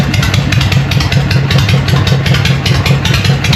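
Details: Harley Evo chopper, first start on choke after an eight-month rebuild, with the oil cycled beforehand: a loud, lumpy V-twin idle with a steady potato beat and deep exhaust thump that runs cleanly; normal idle.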